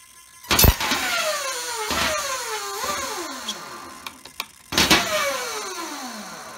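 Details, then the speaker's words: RC car with Castle Mamba X ESC, sensor wire plugged in: sharp bursts of motor whine starting and stopping unpredictably, no brake, no throttle, reverse flashing green; erratic response persisting despite replaced cables, sensors, motors, radios and updated firmware; cause unknown. "i mean i just pulled out the car it just it just i don't know has no break no throttle"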